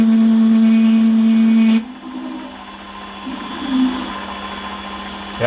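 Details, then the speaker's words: Holzmann ED400FD lathe at 600 rpm with automatic feed, turning bar toward 24.85 mm diameter: loud steady singing tone during the cut that stops when feed stops. Chatter from long unsupported workpiece overhang, tailstock centre mentioned. "wie man hört ist das geräusch das lebe also ist es wirklich darauf geschuldet dass das einfach so lange ausgespannt ist und weil der spitze gesetzt"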